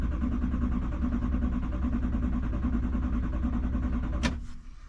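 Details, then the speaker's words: 2011 Chevrolet Silverado 3500 dually, 6.6 Duramax diesel, Allison transmission, 18,471 miles, 35°F, parked three months over winter: cranks steadily about three beats a second with no start; fuel system lost pressure, fixed by pumping the manual pressure valve. "I think what might have happened is that the uh fuel system lost pressure"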